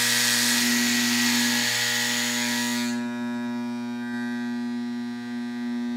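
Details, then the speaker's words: Dropped Andis Masters hair clipper during service, turning the tension screw clockwise: a harsh buzzing rattle drops away after about three seconds, leaving a clean, sweet, powerful steady hum; the clipper is now correctly tensioned. "that nice sweet yet powerful humming noise so we know we're in a good place now"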